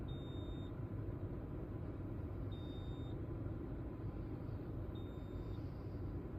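A high chime beeps about every two and a half seconds over low road rumble, a repeating warning with no evident cause.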